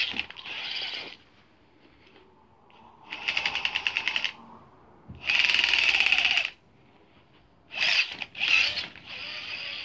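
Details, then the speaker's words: Gmade Komodo GS02F Double Cab RC crawler under load: harsh high-pitched buzzing grind in short bursts with gaps, gearbox losing drive; it runs smooth off the ground. "I made some videos saying that it had a really weird gearbox issue. And it was making a horrible noise when under load."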